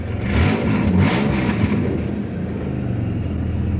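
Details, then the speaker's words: 1998 Dodge Ram second gen, just started after distributor reinstalled with correct firing order; low buzzy kazoo-like rasp as it revs and settles, no longer stumbling; exhaust needs fixing; exhaust leak. "She still sounds like a kazoo because I got to fix the exhaust, but she doesn't stumble on her face no more."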